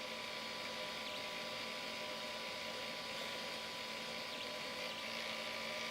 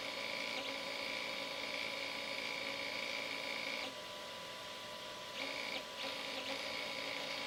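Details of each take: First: Flying Bear P902 3D printer extruder stepper motor after adjusting driver potentiometer: faint steady smooth hum with no clicking or grinding; too-high current had caused clicking, too low made it weak. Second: Flying Bear P902 3D printer stepper motor with its driver potentiometer turned too high; thin high-pitched whine with irregular clicks as the motor skips from excessive driver current, fixed by turning the potentiometer back down.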